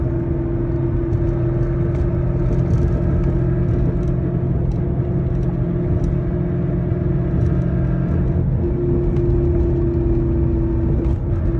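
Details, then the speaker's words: 2011 Mustang with Roush supercharger, driving: steady mid-pitched whine over road rumble in gear that vanishes with the clutch in or in neutral. The rear differential and bearings are worn and being replaced. "so pretty much after listening to those clips you can definitely see a lot of the noise was coming especially when you were in gear every time i'd either push in the clutch or have it in neutral you obviously wouldn't hear the noise so made sense why it was the differential and a couple of bearings"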